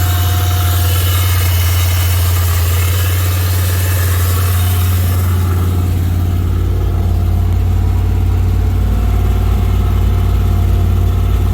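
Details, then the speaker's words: 1991 Chevy Silverado 1500 350 small-block converted to carburetor, after new cam bearings, new gaskets, lash set and carb adjusted: even V8 burble that picks up smoothly midway, no ticking or knocking over the exhaust; the earlier noise is solved, normal idle. "new cam bearings installed put everything back together with some new gaskets set my lash and three adjust the carburetor see if it fires up hopefully that noise is gone"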